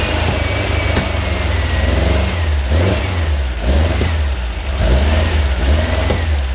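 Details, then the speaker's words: Freshly built VW Type 1 1600 flat-four (74 x 85.5) with stainless mufflers, first start, revs held up to break in the cam: steady raised speed with a smooth, even beat, no knocks or rattles; normal fast idle. "yeah that's the type of one i want to break cam in a little bit though so that's why i got the rpm up yeah that sounds good"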